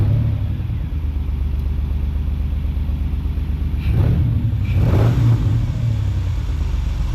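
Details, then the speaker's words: 1995 Ford Explorer two-door with a misfire on one or two cylinders, after cleaning the gunked-up PCV valve with brake cleaner: uneven, stumbling idle with throttle blips, still a nasty miss, no better, no worse. "Still a pretty nasty miss. Okay, not sure if it runs any better, but it doesn't run any worse."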